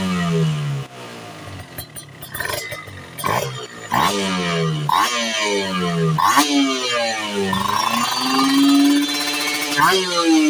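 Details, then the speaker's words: Two-stroke motorcycle (Ninja R series mentioned) after pilot-jet/main-jet tuning; repeated throttle sweeps from 1000 rpm idle to 13,000-14,000, slight midrange softness around 6,000-8,000 rpm, otherwise crisp high scream, no bogging: healthy rev-up. "Ketika nanti buka gas ada sedikit berbeda di putaran tengahnya terus kemudian diputaran atas itu bisa nusuk lagi bisa Enak lagi tadi sekitar di 7.000 RPM"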